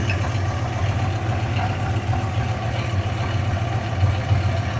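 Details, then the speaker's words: 1976 Dodge Club Cab Adventurer, tired 318 V8 with low oil pressure and a very rich carburetor, idling deep and slightly uneven with a loose puffing exhaust leak; no rod knocking heard. "I just don't want it to start knocking. I don't hear any knocking. I hear an exhaust leak."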